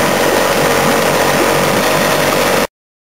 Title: Diagnose a 15hp Evinrude Misfire